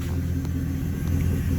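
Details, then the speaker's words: Truck with Cherry Bomb Salute muffler idling three to four minutes after a cold start: steady, even low rumble with a smooth regular beat and no misses; audible inside and outside but not too loud; healthy. "you can hear it's it's loud enough to hear it you can hear it both inside and outside but it's not gonna wake your neighborhood when you're getting ready to leave which is why i love it"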